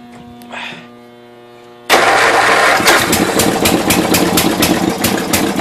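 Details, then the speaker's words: 1992 Yard King lawn tractor with gear-drive transmission, first start after about seven years sitting, cold in snowy weather on choke: the small engine catches and runs loud and uneven, rough while cold on choke. "there we go yeah she's cold an interesting little motor one stay running"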